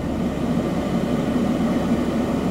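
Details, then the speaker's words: 4th-gen Ram 3500 6.7 Cummins with FASS fuel system, cold start at -16°F on straight No. 2 diesel, not plugged in, fuel low: thick oil, then steady low diesel rumble with dull clatter, no misses; healthy cold idle. "you can hear that oil is thick there we go 16 below zero straight number two fuel and that's 16 below zero Fahrenheit"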